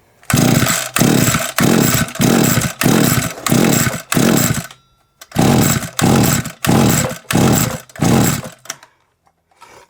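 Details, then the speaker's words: SGS Engineering 26cc two-stroke strimmer left outside for three years, not primed as owner suspects it is flooded, spark present: about a dozen quick recoil pulls with no firing; no start, flooding suspected. "should have had a fiery by now got spark quite easy start definitely should have had some foreign"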